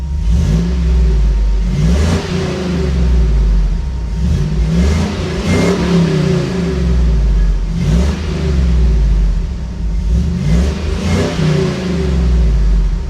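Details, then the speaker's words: 1983 Toyota Land Cruiser FJ60 with swapped 5.3L LS V8 revving out: repeated clean revs climbing smoothly and falling back to a deep, even burble, no knocks or rattles; healthy V8 revving. "And yeah, check out these uh couple clips of it revving out so you get a little better idea of just how awesome it is."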